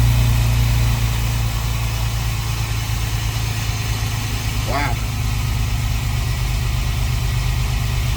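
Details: 2004 Astro van 4.3 V6 Vortec on a 44-degree day, just after installing a new aluminum Brave X distributor and brass-terminal cap: steady low idle with an even beat, no stumble or tapping.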